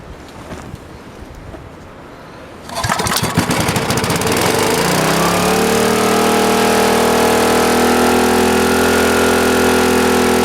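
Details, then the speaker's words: Greenlee 5000 W generator bought for five dollars at auction, cold start with the air breather missing: it catches after a couple of pulls and settles into a high, steady buzz. The owner suspects it is overspeeding and points to carburettor adjustment. "is that really where it's supposed to run on speed that sounds a little a little quick for me but I don't know"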